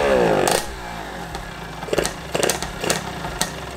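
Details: DT two-stroke motorcycle with a newly installed shifter, no gear engaged, testing the ignition cut. Short revving bursts are each cut off cleanly with a brief crackle, and it runs evenly between them; normal running with a working ignition cut.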